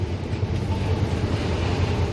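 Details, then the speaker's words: Kia K9 idling with the A/C on: quiet inside the cabin apart from fan noise, but outside a steady, heavy low rumble comes from the left side of the engine bay. It is unusually loud and the cause is unclear. "에어컨을 지금 켜보면 은 실내에서 는 못 바람 소리 말고는 굉장히 조용해요 근데 7회에서 들어오면은 벤치 왼쪽에서 굉장히 큰 소리가 납니다"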